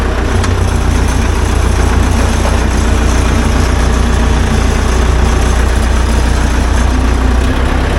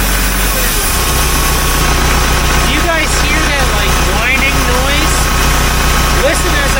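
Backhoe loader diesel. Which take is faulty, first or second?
second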